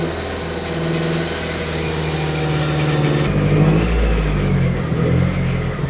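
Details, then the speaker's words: Mazdaspeed 3, first start after six years; engine runs with light rattling chatter from belt area. Owner suspects power steering pump low on fluid. "If you're hearing a noise, I think it's the power steering pump is low. It's coming from the belt area."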